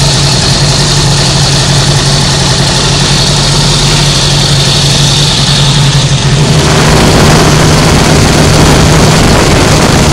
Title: rattle noise